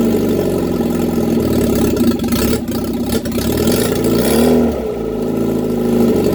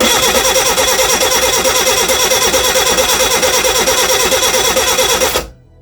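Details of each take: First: Reliant Regal Supervan 3 engine on the workbench, running after a full rebuild, with choke and a hand on the throttle. Smooth even idle that dips briefly under a throttle blip, then picks up cleanly; normal idle and revving. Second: Reliant Regal Supervan 3 engine on the workbench, with fuel re-primed and the distributor moved because timing was uncertain. Even cranking at about three turns a second with no firing; crank, no start.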